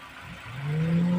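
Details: Daihatsu/Toyota Avanza-family engine after overheating repair and cylinder head gasket replacement, idling at about 98°C: a low whir rises smoothly and settles into a steady hum as the radiator fan engages normally, which should bring temperature back to 89–90°C.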